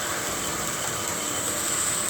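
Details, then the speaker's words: Home-built KMG 2x72 belt grinder clone at startup after belt tracking adjustment: a steady, even belt hiss with a fine whir and no knocks or rubs. It runs normally. "And uh no weird noises. Sounds good. It's ready to put back to work."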